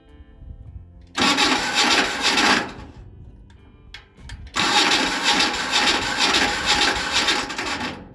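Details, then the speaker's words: 40-year-old two-cylinder Hinomoto diesel tractor, first start attempt in years after warming the glow plugs: two harsh grinding bursts of about one and three seconds; the starter is grinding on the plate. "Well, it seems that this starter is not having a fun time. So, I'm gonna pull the starter and look at what's going on in there."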